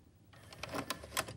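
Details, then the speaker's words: Sylvania SSC132 TV/VCR combo that ate a tape and now won't load; the mode switch was cleaned and one belt cleaned. About a second of rapid clicking and whirring as the cassette goes partway in, sticks and ejects. The owner suspects it catches on the pins. "i put a tape and i'm going to show you on the side here how far it goes in it doesn't go in all the way it gets stuck and then it jumps back out"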